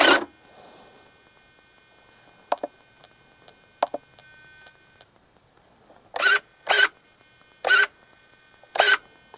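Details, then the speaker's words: Giant scale Seagull Models Zero RC plane servo after endpoint adjustment: brief whirring sweeps with clean silence between them and no holding buzz; extra hum removed by backing off travel or sub-trim, servo moving freely. "if you want to get rid of any extra hum in this thing you can simply back it out so it's not making any noise or try to use sub trim to dial that out as well so i like where that that sounds right there"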